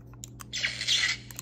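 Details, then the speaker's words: Savi's Workshop lightsaber after a flat flex cable repair, tested without the kyber crystal: a few faint clicks, then a short hissing electronic warning burst. This means the blade circuit has power and no crystal is fitted. "you can hear it makes the noise which means there's no carbon crystal which means you have power to the actual blade"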